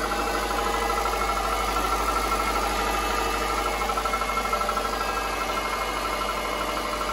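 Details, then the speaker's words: 2005 Subaru Impreza 2.5 L non-turbo boxer on cold startup after sitting a few days: hollow, even knock about three times a second, loudest at the engine's center; piston slap, which quiets once fully warmed. "so if your car sounds like that it is piston slap and this is the sound fully warmed up you"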